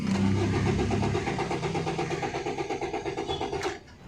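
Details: 2011 Maruti Suzuki Swift Dzire diesel (Z13DT) cranks steadily, about three turns per second, but never fires, immobilizer light blinking; crank no start, immobilizer suspected but not yet confirmed bad.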